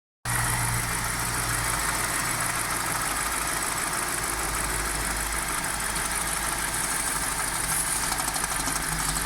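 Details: BMW 545i E60 N62 V8 at idle with the oil filler cap off: a busy chattering note heard through the open filler; a strange noise of unknown cause.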